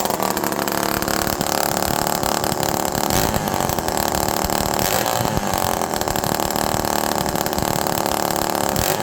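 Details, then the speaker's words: Homelite Super Mini two-stroke chainsaw, cooled off, running without exhaust: uneven revs with a wet blubbering burble, erratic dropping to idle and getting very rich; maybe not an air leak, missing exhaust may need richer mixture. "Now it's starting to get really rich."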